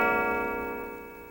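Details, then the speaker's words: 1926 Gilbert eight-day mantel clock in a pine case, striking hours and half-hours on a coiled gong: a single clear gong note rings out and fades smoothly with a steady bell-like tone. Normal clock strike. "it is an eight-day model striking the hours and half hours on a coiled golf [Music]"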